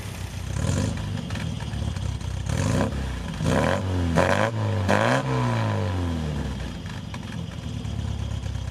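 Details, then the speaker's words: 1974 MGB with rebuilt engine, new gas tank and dialed-in fueling: repeated throttle blips climb cleanly and drop without hesitation; earlier bog near wide open throttle gone once the pump kicks in; smooth as a sewing machine. "So I just shut the hood on this thing and it is sounding perfect, just like a sewing machine. Just everything is moving as it should. Super, super smooth."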